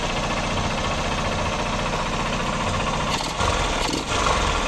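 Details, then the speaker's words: Small single-cylinder motorcycle revived after long storage, idling with some smoke: a light, irregular knock under the exhaust beat that sounds like connecting rod play from the bottom end, not the piston; rod replacement advised. "tá com um barulinho parecendo que aela batendo esse barul a ó pode reparar esse barulhinho aí pr mim ele é de Viela esse aí"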